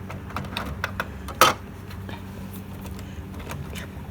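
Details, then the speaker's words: HP Smart Tank 7001 printer ink refill, bottle seated on the tank hole: irregular soft pops and gurgles with one louder knock as ink bubbles in and the tank level rises; normal refill. "And see, it's bubbling. So it's refilling."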